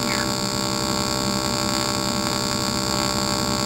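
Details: AC TIG welding of aluminum at about 100 amps (machine ranges up to 140), foot pedal, filler added to the puddle: steady buzzing hum with a crackly edge, no sputtering or breaks; a normal arc.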